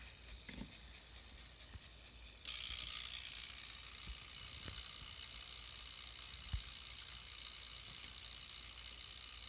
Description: My x1800 started making strange noises after boot. They are affected by messing with the FX channel settings and by unplugging the network cables from the ports.